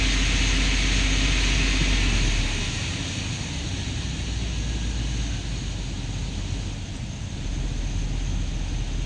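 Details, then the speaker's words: Chevy truck with lean and misfire codes on both banks and maxed short-term fuel trims, throttle raised: loping, uneven roar with misfire stumble; massive vacuum leak somewhere, unrepaired as owner only wanted the cooling system fixed. "Yep, this truck has a massive vacuum leak somewhere."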